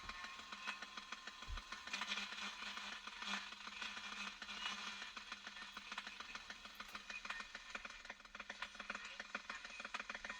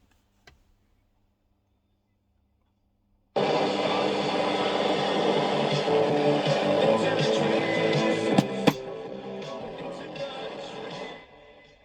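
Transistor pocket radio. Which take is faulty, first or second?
first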